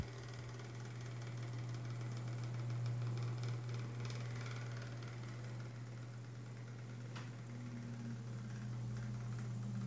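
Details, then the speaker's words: Galaxy (Lasko) 9-inch oscillating desk fan, around 1993, on low speed: even low motor hum with light ticking about four times a second; clicking present, cause not identified (possibly needs oil). "it's quite quiet on low actually despite the noise still blowing a good amount of air still making that clicking noise"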